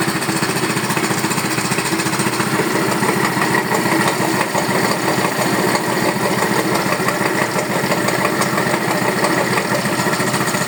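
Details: Neo 125 scooter at steady idle with a hard, hammering tap of about three per second over the engine note; abnormal engine knock, cause not identified.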